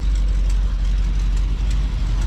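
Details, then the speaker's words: Engine at idle with about 67,000 miles, steady deep idle with a low puffing chuff from the front, exhaust leak; everything else at the rear sounds normal; repair postponed. "everything's sounding normal back here except when you come up here yeah that exhaust leak"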